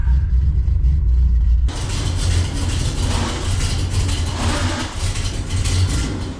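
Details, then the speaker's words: 1974 Corvette 454 V8 just out of winter storage, carbureted: heavy idle lumps and stumbles unevenly instead of beating smoothly; running really rough, spark plugs found with heavy carbon buildup (fouled), replaced with oil change. "It was running really rough when I started it up and pulled it into the garage, and I can see why, because these are not happy."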